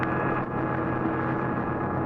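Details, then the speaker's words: 1951 eight-tube car radio with engine running: steady droning whine with buzzy edge through the radio that stops when ignition is turned off; generator interference, check the generator condenser is in place. "Noise is gone, isn't it? You know what it was? H sounded like the generator right on the headwalk. And there are several things you might do to eliminate this generator interference."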